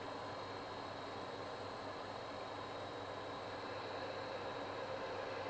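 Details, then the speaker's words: Vaillant boiler on hot water with the hot-tap flow slowed, after debris was cleared from a rubber pipe and filter: steady soft hiss with no banging or kettling. It runs quietly; the repair may have fixed it. "Okay, I've slowed that flow down. That may well have fixed the boiler."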